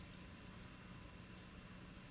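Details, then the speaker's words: Bosch Serie 6 tumble dryer on a timed program after foreign objects were removed from between drum and housing and all screws were refitted: it runs quietly with a soft, even hum and no scraping or rattling. Normal quiet running after repair. "mal auf Zeitprogramm und starten und jetzt läuft er wieder schön ruhig so wie es sein sollte"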